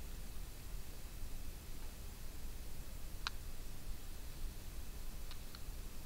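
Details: Notion Ink Adam tablet camera: faint sharp clicks over a quiet hiss from the autofocus motor as autofocus keeps losing focus and hunts while adjusting.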